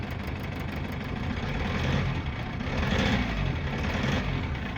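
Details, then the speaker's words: GAZelle with Cummins ISF 2.8 diesel at 165,000 km, misfiring and smoking, with cylinders cut out one at a time. A rough idle with an uneven knock: cylinder 3 is the source of the knock and smoke, and the injector is suspected (micro hydraulic shocks from poor spray). "Похоже да Третий цилиндр источник стука и дыма"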